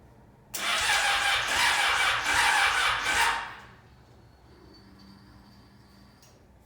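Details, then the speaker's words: Yamaha FZ6 motorcycle just fitted with a new fuel pump, battery being charged: about three seconds of quick, even starter cranking, then silence; the engine turns over but never fires, crank no start. "still no work no matter about the not well motor is actually turning over I'm trying to charge the battery"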